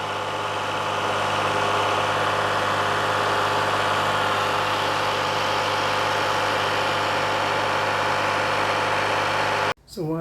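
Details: 2015 Toyota Sienna AWD 3.5 L held at 2,000 rpm, checking accessory drive: constant whirring drone over engine hum; tensioner found very noisy and alternator noisy, water pump and AC compressor judged okay.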